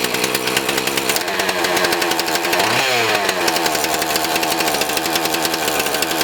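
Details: Husqvarna 450 X-Torq chainsaw after carb diaphragm, primer bulb, fuel line, filter, rope rotor and spark plug repair, at full throttle: screams at steady high revs, crisp even firing, no stumble or bogging; runs normally.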